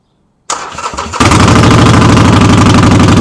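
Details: Harley-Davidson V-twin, rear wheel jacked up in neutral after brake light switch repair: starter whirrs, engine catches into loud, loping idle with heavy metallic rattle on every beat, source unclear.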